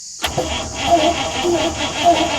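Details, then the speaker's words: Ex-army International ACCO 6x6 with a Perkins 6354 diesel, cranked by push button on weak batteries: the starter churns slowly and unevenly, the engine barely turning over and not firing. "goes batteries don't sound too good yeah with batteries like that"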